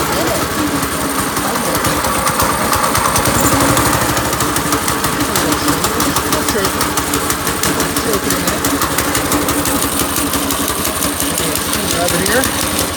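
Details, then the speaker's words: Small single-cylinder go-kart engine started with choke and fuel on: a loud, choppy idle that stumbles and never settles into an even beat; the idle is rough and probably set too low (suspected). "Oh, that sounded bad. Maybe we should give it a little bit more robust idle there. That thing was sure to let me know about its displeasure, about the idea of me getting on and riding it."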